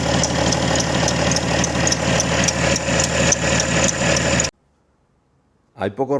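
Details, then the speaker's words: BMW E90 325d/330d M57 diesel at cold start idle: fine, high chirp repeating about four times a second, steady with engine speed, from the accessory belt squealing when cold. "tan molestos como este y tan irritantes cuando arrancamos el coche por las mañanas Especialmente cuando está en frío esos ruidos la verdad que incomodan a mí por lo menos me incomodan bastante"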